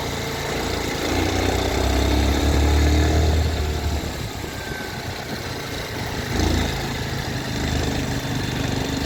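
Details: Mottu TVS Sport 110 motorcycle idle rising and sagging with an uneven low thumping and a faint rattle; strange engine noise, cause unclear.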